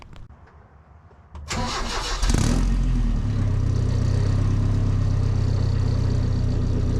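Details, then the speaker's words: 1978 Datsun 620 4x4, rebuilt KA24E, after repairing exhaust leak from broken flexible coupler in stainless exhaust: brief crank, clean catch, then steady even idle with no ticking or puffing from exhaust; normal start and idle. "And then bring it back. We'll fire it up, see how it sounds."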